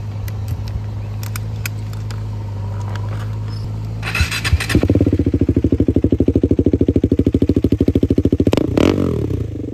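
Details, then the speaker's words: KTM 390 Adventure single-cylinder pulling away while riding: loud raw rapid popping exhaust bark far above stock after an exhaust piece fell off because of a loose screw. "बहुत ही तेज आवाज आ रही है इसका exhaust निकल के गिर गया"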